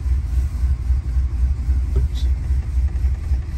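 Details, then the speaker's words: 1977 Chrysler Newport 400 V8 cold-started below freezing after sitting about two months, weak battery: low, lumpy rumble pulsing unevenly three or four times a second at cold idle; rough running, owner suspects plugs, wires or spark control computer. "and it's running a little rough let it idle for a little bit she's not very happy right now"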